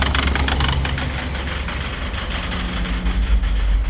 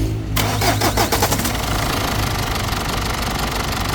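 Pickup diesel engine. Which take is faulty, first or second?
first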